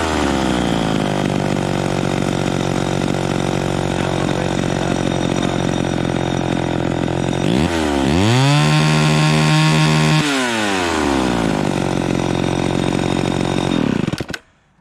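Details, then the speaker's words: Vintage two-stroke chainsaw at full throttle with no load, high-speed mixture screw turned in. It sings a clean, smooth scream with no four-stroking burble, which means it is too lean; it needs backing off slightly richer. "so we turned it in until it was singing super smooth with no blubbering but that's too that's too lean you want to back it off a little bit to where it starts a little bit on the high end because that means that it's right"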